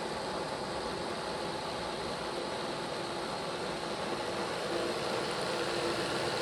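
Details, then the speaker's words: Bachmann Dash 9 model locomotive after motor block repair, run at 8 speed steps: steady even whir with no growl; sounds 100% better, normal running. "Let's take it up to 8 speed steps. There's 8. Sounds 100% better."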